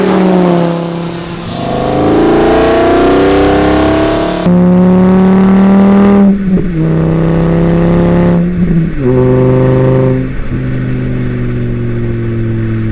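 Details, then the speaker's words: 1980 VW Rabbit pickup (Caddy) with swapped 2.5L 07K five-cylinder, IE intake manifold; strong snarl rising and falling cleanly through several throttle blips, smooth with no knocks or misses; healthy engine. "I'm pretty happy either way this thing makes tons of power and sounds amazing"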